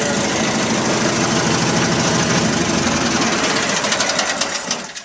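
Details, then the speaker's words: 1973 Terra Jet with a replacement engine from a Craftsman lawnmower, throttle run by a snowmobile cable, choke on the console; it starts right up with a rapid, even small-engine putter, no knocks or misses; normal running. "we're going to start it up here for you so you can hear it run I might have to get in here we'll get in part way see it starts right up"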